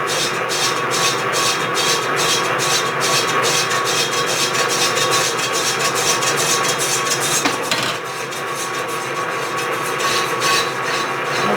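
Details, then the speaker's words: Lathe machining a cast iron clam pump, interrupted cut: steady cutting hiss with regular ticks, no ringing chatter; raising the feed rate reduced the harmonics, giving normal cutting with reduced chatter. "If we sped up the feed rate a little bit, even though we have an interrupted cut, it has reduced the harmonics that you heard in there."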